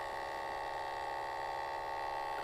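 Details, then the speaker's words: BMW motorcycle ABS pressure modulator pump activated by an ANCEL MT700 scan tool while bleeding the rear brake: steady, even electric hum at fixed pitch with no knocks or catches; ABS pump running normally. "So we're going to listen for the ABS pump because you should hear it kick on. Click continue, click continue. And right there, the ABS pump is on. You can hear it."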